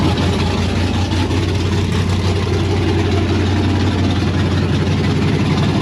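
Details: 1992 Firebird LS V8 on Holley Terminator X, first start with a temporary flex pipe: deep idle with slightly uneven low pulses. Owner thinks the throttle-body idle air screw and tuning may need adjusting; cause unconfirmed.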